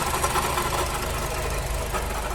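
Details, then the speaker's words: 2006-2011 Honda Civic Si K20 at idle, before water pump replacement: steady idle with a rough gritty whirr under the engine note, worn water pump bearing, pump possibly starting to leak coolant. "Hopefully that noise goes away and the car runs better. But most likely that's coolant, and yeah, the noise is annoying."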